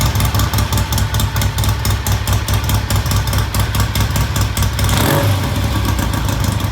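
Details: Vintage British motorcycle, idle mixture trimmed via the lean idle drop: thumping idle with a slight stumble then recovery, settling to a clean, even idle.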